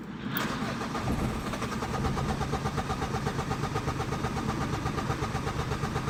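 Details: Renault Clio 2 1.5 dCi 60kW with a starting problem (it starts if the throttle is slightly pumped): the starter churns the engine with an uneven beat about twice a second for six seconds without properly catching; hard start.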